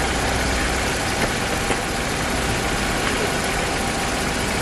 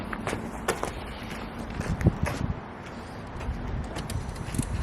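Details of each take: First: 1999 barn-find car with 70,000 miles, after the owner fixed the part that stopped it starting: steady, even idle with a constant hum and no knocks or hunting. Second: 1999 barn-find car with 70,000 miles, started after the owner's own work under it: catches for about a second with a rough burst, then cuts out; unmetered air leak from an intake hose left disconnected.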